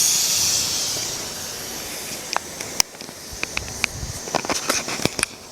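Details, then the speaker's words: Presto pressure cooker with flame turned down: soft steam hiss fading but continuing, with a few light ticks; still hissing means it is working normally. "kecil aja asalkan dia masih mendesis maka artinya presto masih bekerja dengan baik"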